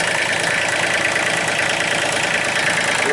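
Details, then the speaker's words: 2005 Massey Ferguson tractor, Japanese-made three-cylinder diesel, running with the injection pump shutdown plunger pushed in manually, bypassing the faulty shutdown coil; steady, even diesel clatter with no misses or knocks; normal idle. "try to shut it off that's all you got to do pushing the plunger neat all right confirmed diagnosis uh once we put the part in it'll run like new"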